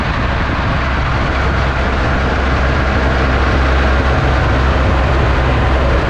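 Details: Ransomes Jaguar 4000 diesel commercial mower, 1980s-90s, sat 20-25 years in junkyard, hydraulics rebuilt with new O-rings and seals: steady even diesel drone with constant low throb, no knocks or misses; runs smoothly.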